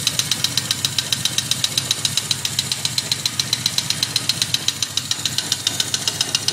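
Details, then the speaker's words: 1979 Yamaha XS1100 Special, about 11,000 original miles, long stored: a light regular clacking, about four per second, over the idle that fades at high speed. Owner doubts rod knock and suspects a valve or a dead cylinder; a scope check was inconclusive. "i'm hearing like a knocking noise i don't think it's a rod knock and it may be a valve or maybe it's not firing on one of the cylinders but once i go get it high speeds it goes away"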